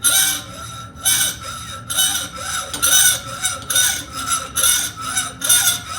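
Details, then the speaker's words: Hacksaw cutting metal stock: even rasping strokes a little faster than one per second, each a bright scrape, the pitch dropping lower as less material remains near the end of the cut. Normal cutting. "it's getting lower pitched because there's less surface area now and that's a good signal to let me know i'm getting close to getting through"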